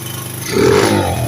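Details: 1981 Honda CB100N points-ignition single, started with the float bowl primed and choke on then off after no-start fault-finding: catches and revs crisply with an even popping exhaust, running cleanly without spitting or dying.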